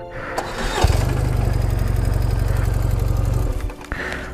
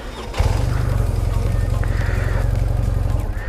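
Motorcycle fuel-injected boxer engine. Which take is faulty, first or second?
first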